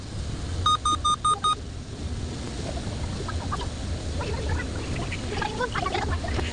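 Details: Dell Intel Core i3 laptop: five short, evenly spaced high beeps, possibly a hardware alert or system warning, then only low room rumble and faint clicks.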